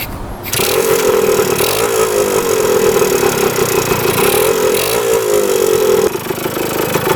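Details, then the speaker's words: 1977 Kawasaki KE100 two-stroke enduro, revived after 10 years parked, float height reset, running without air filter: engine catches in half a second and settles into a steady, even buzzing idle with no top- or bottom-end knocking; healthy idle. "But uh yeah, sounds pretty good. No knocking in the top end at all. Bottom end sounds pretty healthy."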